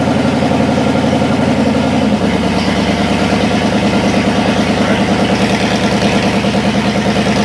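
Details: Cadillac 390 V8 run after sitting 8 years, cold and untuned: catches and settles into a steady, lumpy idle a bit fast, otherwise even. Water pump leaking. Slightly high cold idle.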